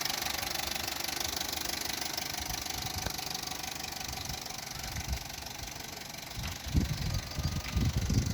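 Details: Opel Corsa D 1.2 Z12XEP, fully warm idle: loose, uneven metallic rattle over low hum, nearly silent when cold; timing chain suspected, not confirmed.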